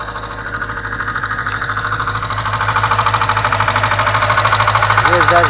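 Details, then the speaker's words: 2107 VAZ engine at steady idle: quick, even metallic valve tapping about three times a second that persists after valve adjustment. Owner attributes it to worn rocker arms, with rocker arms and valve stem seals to be replaced. "даже без камеры слышно, как они здесь стучат. Сейчас будем разбирать и менять вот эти коромысла."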